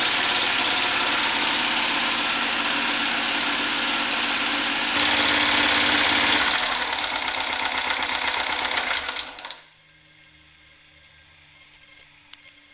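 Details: DIY 12V DC gasoline generator running with battery bank and inverter: steady, even drone with smooth regular beat, no knocks or misses, until it shuts down; normal running under load.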